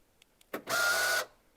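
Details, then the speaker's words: Porsche Boxster 986 with central locking fault, front and rear boots and fuel flap won't open: a half-second steady electric motor whirr, heard low down, right after unlocking; suspected actuator in the central locking control unit, possibly the fuel flap, uncertain. "we unlock it again now that horrible whining noise was constant"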